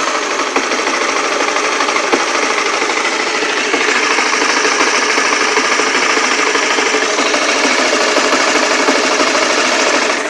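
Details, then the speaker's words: Single-cylinder motorcycle after fixing its long-running klotok-klotok noise, recorded on a Sony mic: light even deg-deg-deg patter at steady idle, no heavy knocking; normal idle. "Memang ada suara kayak deg-deg-deg. Ini normal ini. Aslinya nih suara normal memang seperti ini suara mesinnya."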